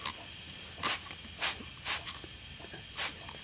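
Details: Intake pressurised with compressed air from a compressor while hunting boost leaks, leak at a tee fitting showing air bubbles: short, uneven puffs of hissing air; boost leak.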